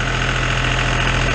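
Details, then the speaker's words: John Deere farm tractor diesel restarted after oil, oil filter and fuel filter change: uneven, lumpy idle with slight stumble from air drawn into the fuel, running rough until it purges and smooths out. "That John Deere is pretty bad to get air in it. It'll run rougher than a cob for a little bit."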